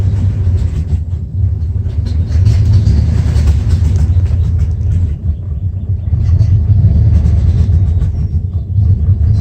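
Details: 1994 Dodge Ram 5.9L with codes 37 and 51 and backfiring: a deep, lumpy, stumbling rough idle; caused by a failing crankshaft position sensor, and replacing it restored normal running.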